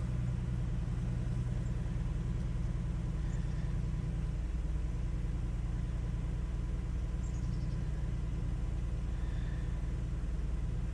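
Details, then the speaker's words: 2015 Ford Taurus 3.5L V6 (sixth gen) at a cold −4°F, just after a control module replacement fixed a crank/no-start, stall-after-seconds fault: steady low idle without faltering or dying, normal running restored. "and behold the car's still running that was the issue just the common occurrence on these cars is this part goes bad"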